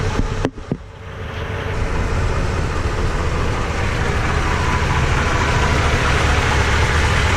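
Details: Toyota Tundra with new TRD dual exhaust, camera laid on the ground in front as the truck drives over it: a couple of camera-handling knocks, then an even low exhaust burble building; healthy.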